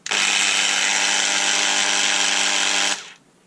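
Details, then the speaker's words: Bosch delta sander bought as not working well, run at variable speed setting six: harsh, steady high buzz with a coarse rattle, rougher than a healthy sander, and it smells of burning; noisy motor, cause not yet confirmed. "seems to make a lot of noise but what happens if I look at the side"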